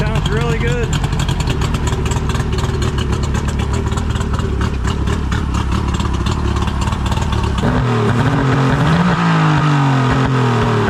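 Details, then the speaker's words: 2000-model three-cylinder outboard, a dealer trade-in with 130 psi compression on all cylinders and good spark. It runs loud and steady at a fast, even pulse with no misfires or knocking, pumping good water, while another sound comes in partway. "good oh yeah nothing wrong with it puffing good water too"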